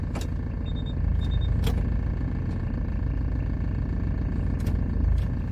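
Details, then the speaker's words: 2004 Hyundai Starex 9-seat diesel van, about 90,000 km claimed, shifted into gear at idle: heavy, rough rumble with uneven throb and knocks, vibration and engine noise worsen; engine repair suspected, cause unconfirmed. "미션을 넣으니까 차 진동이 더 심해지고 엔진 소리도 더 심합니다."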